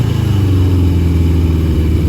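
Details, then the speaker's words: Barn-find 1982 Yamaha Maxim XJ750 with a new fuel filter, choke fully off, working out bad gas: a smooth, even, low rumble with no misses or knocks. The engine runs cleanly and well. "she was just working some of that bad gas out it's pretty clean in here and I got to choke the whole way off it's running really good sounded really good too"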